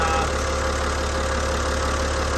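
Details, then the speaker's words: Boat diesel after fuel system rebuild with new injectors and crush rings, injector pump refitted, return line tightened: steady, even diesel clatter at idle with no misses or surging, running smoothly; number 6 cylinder still leaking. "throttle it up a little bit. See what happens. She's firing, she's running. Nice and smooth."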